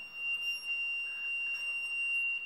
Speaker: that is the beam beeping at you to say it's not connected